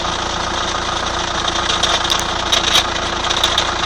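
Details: 2003 Chrysler Voyager 2.5 CRD diesel at idle: uneven, sharp ticking roughly once a second over the clatter; ticking noise, cause unclear.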